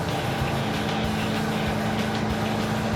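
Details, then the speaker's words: V8 on the move after carburetor swap and air cleaner refit: steady, even drone with no skips or stumbles; previous lean misfire gone, runs better, quieter. "What? It's better. It's not misfiring."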